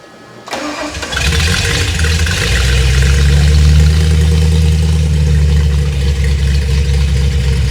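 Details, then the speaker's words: Hot Ford 351 Windsor V8 with flat-tappet cam on out-of-the-box EFI replacing carburetor, brief crank then catches cleanly into a strong, even rumble with no stumbling or flooding; normal hot start, better than the carb. "starts better than the carb. Yeah. Which is probably just a testament to how not good at tuning we are."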